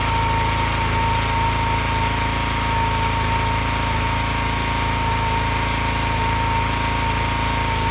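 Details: Excell XR2500 (DeVilBiss) pressure washer, 5 hp Honda engine, after replacing bad spark plug that caused stalling after 15 seconds: steady, even drone with no misses, surges or stalling; keeps running smoothly.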